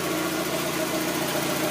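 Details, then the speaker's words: 1992 Mazda Miata right after replacing the water thermistor for CEL code 9: smooth, steady idle with an even low hum, gauge not moving, no stumbles; the engine is idling healthily. "the gauge isn't even moving at all and the motor just sounds really stable"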